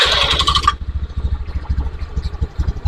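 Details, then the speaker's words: Honda Beat FI injection scooter with rough starter, idle always high and heavy fuel use: starter whir then quick, busy, noticeably fast and slightly uneven idle pulse; high idle speed. "motor ini langsamnya selalu tinggi motor ini langsamnya selalu tinggi kemudian Borus bensin ya teman-teman"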